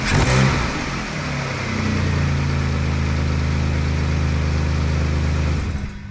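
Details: Saturn V6 first start after reassembly with new upper intake manifold gaskets and valve cover gaskets. It cranks briefly, catches and settles into a steady, even low idle with no knocks or misses; healthy.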